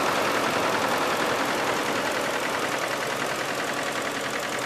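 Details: 2000 Isuzu Trooper 3.5L V6, 140,000 miles, at idle: a hard, regular, rapping knock of about two to three a second. It began together with an upper-front oil leak. Oil was overfilled by half a quart, with no oil pressure or check engine lights. Cause undiagnosed.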